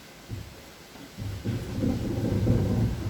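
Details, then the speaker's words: Dunster Water Mill, Somerset, water wheels driving the grindstones as rye milling begins: a low, uneven rumble slowly builds and swells as the stones start turning, before grain feeds through. Normal start of grinding. "that's the millstones starting to work we're just waiting for the grain to start to be through"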